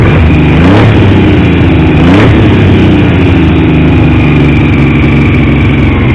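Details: Triumph T150V triple, back together after top-end removal for oil leaks; started on the 2nd kick. Slightly lumpy idle, then clean pickup on two quick blips. Oil pressure ~70 psi revving, ~40 psi under 2000 rpm; no leaks; normal idle and revving.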